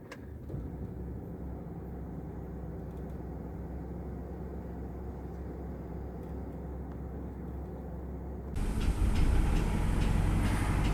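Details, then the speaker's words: 2000 Toyota Camry 2.2L 5S-FE, started after sitting 3 weeks, with a suspected cylinder 1 misfire: a low, lumpy idle turns louder and rougher as it misfires at very low idle, with a fuel smell. "And here's where the misfire happens when it's like really low."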